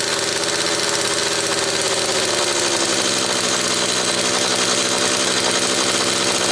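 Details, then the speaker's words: Homelite XL Automatic chainsaw after repair (fuel issue had forced full-choke running; new bar stud), cold morning, engine half warm; started in about six pulls; high, buzzy two-stroke note holding steady at speed without bogging or surging; high speed close enough; normal running. "But the fact that it started in about, what was that, 6 poles, that's dead on the money for what it should be doing. The high speed is pretty close now. In fact, close enough, I think."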